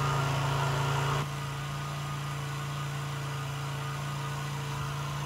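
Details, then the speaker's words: Chinese Geely 50cc two-stroke scooter, revived after sitting, before fitting the air filter: steady even low idle with no misses; carburetor later repositioned as it wasn't sealed on the intake boot. "better sounds like it's idling okay it's revving up to the RPMs to put the air filter on it and we'll see how she runs"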